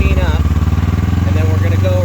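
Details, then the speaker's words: Yamaha Phazer snowmobile, warmed up and heard from the front: steady, even engine beat idling at about 2700-2800 rpm against a spec of 1800 ± 100; idle speed set too high. "right here on the tachometer and you can see we're at 2700 2800 so we're idling a little high"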